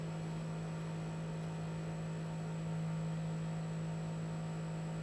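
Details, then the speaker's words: Cremer CF1220 vibratory feeder driven by a replacement sine-wave drive board instead of the PWM board; at the same amplitude a steady, even low hum with no rough buzz, vibrators running smoothly. "so even though the amplitude is the same is the same as as here you can't you can't hear the vibrators anymore yeah it's very nice"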